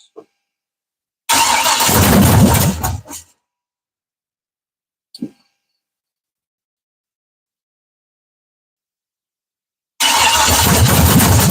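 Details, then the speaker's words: Truck first start after a 5.3 to 6.0 V8 swap: the engine runs in short rough bursts with metallic clatter from the flex plate and torque converter, which are not yet bolted together. "was the the flex plate and the Fly and the torque converter they're not bolted up so they sit here and do this while one is running so that's why you heard that's what you heard"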